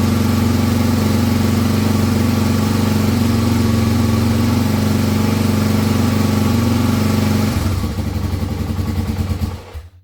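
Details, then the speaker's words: 1986 Honda ATC 350X single-cylinder with a newly installed restored carburetor, just taken off choke: the thump holds steady, then turns uneven and sags before dying. Runs rough off choke and is not yet dialed in. "I just took that off choke and I didn't quite like it yet."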